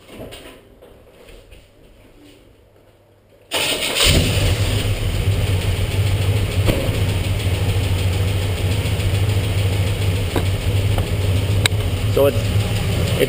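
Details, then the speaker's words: Freshly rebuilt small-block Chevy 283 V8 in a '67 Beaumont, new motor loosening up: idles with a light, quick lifter tick over the rumble from loose valve lash during lifter adjustment; engine may stall while adjusting. "this one here that's ticking I can hear you can hear it ticking quite quite loudly going turn it and that's normal the engine will quit uh when you're doing that"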